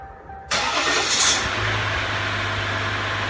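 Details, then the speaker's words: 2014-2016 Ram EcoDiesel at about 15,263 miles, after fuel filter replacement and priming: brief crank, catches right away, steady even idle, no misfire or roughness; normal diesel start. "Absolutely perfect. Idle's good, it's not running rough, it's not misfiring, had no problem starting."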